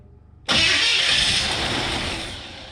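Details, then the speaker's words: 1970 GMC 2WD longbed pickup, small-block Chevy V8, off the road 20 years, fed fuel directly to the carburetor: brief crank, catches at once and settles into a steady, even run; starts cleanly. "easy peasy lemon squeezy too bad for being off the road for 20 years i'm sure it's gonna need a carb kit and a tune-up so on and so forth but small black chevy they just run they just wanna run"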